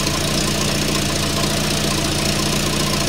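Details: 1994 Volvo 480 2.0 ES idling after fitting a new front downpipe and catalytic converter: rapid uneven puffing tick over the idle, exhaust blowing at loose joints; owner suspects damaged donut gasket, water spitting out, every joint leaking.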